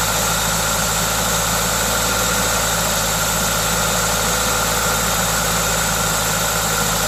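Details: 2ZZ-GE engine at normal idle with an induction kit fitted: steady, even idle, smooth low hum and a constant airy hiss from the open intake filter; no knocking, healthy engine.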